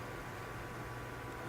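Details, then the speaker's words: PC case fans on a Phobya PWM splitter, side panels off: steady loud airy rush with faint constant hum, fans stuck at 100% speed, likely splitter wiring/connection problem. "but it's make the fans are running 100% I'll just show you this now you'll hear it"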